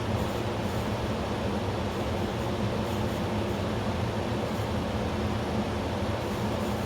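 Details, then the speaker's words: Electrolux WP71-265WT portable AC, replacement unit with same fault, on medium/low fan: steady fan hum with low uneven churning like liquid pumped round, comes and goes; abnormal pumping noise, cause unknown. "Det här ljudet ska det vara där som är inte brummande utan det som låter som att någonting pumpas runt eller."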